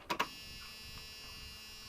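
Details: 1997 Dodge high-roof van, 360 V8, sat 5+ years, temporary battery fitted: two quick clicks as key turns, then faint steady electric whir of fuel pump priming before cranking; normal.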